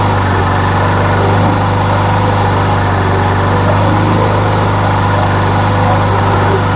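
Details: Trash-found MTD Yard Machines mower that was smoking and belching oil, after an earlier carburetor and gas tank swap, primed with the bail clamped: a steady, even single-cylinder drone with no misses or knocks, running well.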